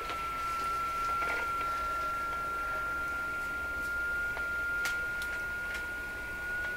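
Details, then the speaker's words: Rogers 11RA651 shortwave radio, all paper capacitors replaced, tuned to a signal generator: steady high heterodyne whistle creeping slowly upward in pitch, showing the radio's local oscillator drifting, not the generator; cause not pinned down. "Now we'll just listen to the pitch of the tone. If the pitch is changing, which it is, the radio is drifting. It won't be my signal generator that's drifting."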